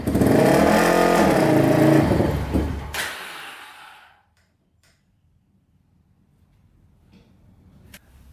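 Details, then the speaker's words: 2006 Polaris Outlaw 525 quad before carb clean (seller said it only needed one); engine revs briefly, bogs and dies within seconds as it pulls away or stops, seeming tied to braking. Stalling under load from clogged carburetor jets. "so it does have an issue um so as i take off and drive forward and then stop it shuts off so it's almost like it's shorting out as soon as i go any distance"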